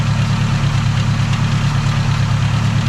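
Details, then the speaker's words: K20 turbo EF sedan, hot engine at idle, heard near the flywheel/clutch bell housing: steady low idle drone with a faint pulsing throb. A drivetrain noise winds up louder with road speed when driving; unidentified noise, cause unknown. "But this is literally the flywheel bell housing. There's nothing here other than the clutch, because all the gears and shaft are over here."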